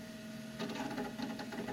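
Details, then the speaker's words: Macintosh SE running System 6.0.8, quick disk check after an earlier crash: quick irregular bursts of ticking chatter over steady fan hum as the hard drive seeks; normal. "I'm gonna guess System 608 is too old to do an automated disk check. Not that it should need one, since it did gracefully crash, so... Oh no, it is doing a quick check."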